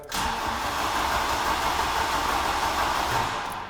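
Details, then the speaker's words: VW Golf GTI Mk3 that won't start after sitting about two years, cranking to check compression: the starter turns it over evenly at about three beats a second with no light strokes; all four cylinders show okay compression. "The engine though shows it's got compression. I mean, if we're professional, we can go and get a compression tester and test it. That's one, two, three, and four. And they're all okay."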